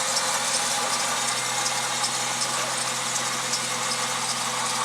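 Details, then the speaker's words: 2000 Jeep TJ with supercharger idling evenly with a faint high chirp over it; typical Jeep serpentine belt squeak from the belt itself, not the tensioner or idler pulley. "As you can hear, it's squeaking a little bit. That's that typical belt squeak on a Jeep. Everybody thinks that squeak is a bad tensioner or idler pulley, and it's just a belt."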